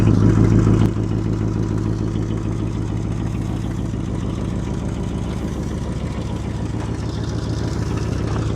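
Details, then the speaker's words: 1964 Mercury Marauder Montclair 390 V8 two-barrel, single exhaust, revived after sitting since 1987: deep, even burble at steady idle, no knocks or misses; healthy. "Listen to that single exhaust 390 two barrel. Nothing special, but she's a beauty."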